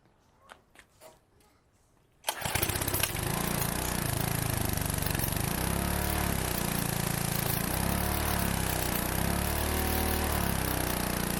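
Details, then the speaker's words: Pressure washer small engine, used about a month then stored in a shed about 15 years, first start after sitting: fires after a quiet pause and settles into steady, even run at working speed; normal running. "yes we got it that is awesome this thing hasn't run in like 15 years that's fantastic"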